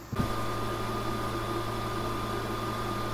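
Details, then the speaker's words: Geeetech MeCreator2 3D printer after replacing the loud, dying cooling fan with an 80mm Antec PC fan: soft, even hum with a faint whir, far quieter than before; normal fan. "still hear it but it's nothing like it was"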